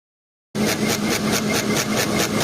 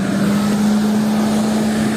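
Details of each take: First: Electric engine cooling fan spinning fast: steady hum with rhythmic scraping swish about four times a second; fan out of balance and rubbing. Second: Car radiator fan after rebalancing and lubricating the fan motor to cure squealing and metal rubbing: smooth, steady mid-pitched hum with no wobble, scraping or rubbing; normal fan operation.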